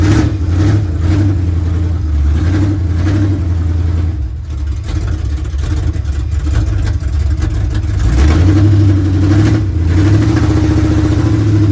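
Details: 1970 GMC with big-block V8, sat 10 years: uneven loping idle with irregular stumble between throttle blips, a cylinder missing at idle; cause not yet found. Transmission also slips in reverse.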